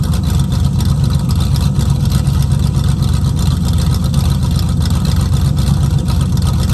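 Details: 1969 Mustang V8 that sat 15 years, rough idle: deep burble with uneven lumpy beat, occasional stumbles; vacuum advance just reconnected, rusted holed mufflers, running rich, not yet hot; owner suspects plugs and plug wires.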